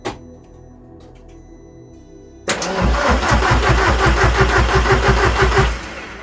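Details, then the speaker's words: Rare ABT Audi TT, cranked on an old battery after a new cambelt and fuel-system flush, fires into a loud raw chuffing idle with sharp pulses; exhaust leaking big time at the front. "that sounded a bit weird that exhaustion i wonder why that is and that sounds like it was exiting this side"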